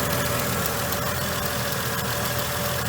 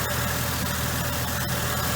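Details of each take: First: Mercedes W463 G500 with a lumpy rough idle and P0444 purge valve code, no check engine light: a fast, light ticking over a steady idle as the evap purge solenoid clicks, pulsing at idle; owner suspects purge valve or its signal. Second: Mercedes W463 G500 with lumpy idle, being diagnosed for code P0444: a faint, quick, uneven tick at idle from the purge valve, which is normal. The air pump also runs at start-up.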